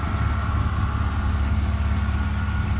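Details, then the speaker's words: BMW E36 with M52 engine and M54B30 inlet cam, after crank sensor replacement and air leak fixes, with new exhaust: deep, even idle with steady low rumble, no misses, stumbles or surging; engine running nicely. "engine runs nice"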